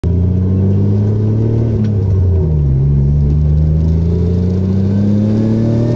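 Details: Mitsubishi Magna 6G72 DOHC V6 after misfire was fixed, smooth steady drone rising and falling evenly with revs, no stumble or skip, firing on all cylinders.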